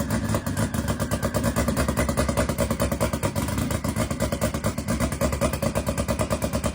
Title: is it on a start tune or is it misfiring? #brakecheck #motorskill #goleft